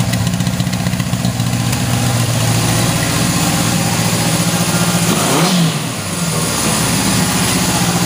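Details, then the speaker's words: 1977 Honda CB750K, four-cylinder, started after sitting years with gas in the carbs and a battery charge; steady, even idle, revs cleanly with a crisp blip and settles back without misses, runs very well. "been charging the batteries and this thing runs very well"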